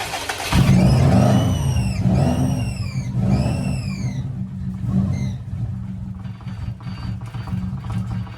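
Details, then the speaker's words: Old Bugeye on 2 gallons of fresh fuel: catches with a loud rev, then settles into an uneven, hunting idle that won't hold steady; rough idle, cause not confirmed, though it drives. "If we can get the idle to settle, we can worry about everything else. She is not happy."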